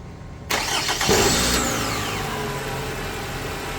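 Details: Toyota RAV4 2.5L four-cylinder after starter replacement and battery reconnection: short quick crank, engine catches at once and settles into an even, steady idle, so the new starter works normally.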